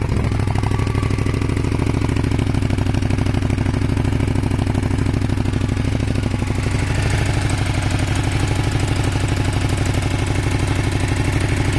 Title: Kawasaki er500 white smoke misfire broken head gasket? advice needed please